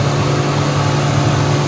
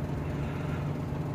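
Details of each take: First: 2014–16 Suzuki Mehran with a long-crank cold-start problem, after fuel injector cleaning: smooth, steady idle with an even low hum that drops to a slightly slower speed once the fan connector is plugged in; normal idle. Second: Suzuki Mehran (2014–16 model) petrol engine idling low, uneven and lumpy, missing and hunting, after cold-weather overnight standing with long cranking before start; misfire from a bad fuel injector.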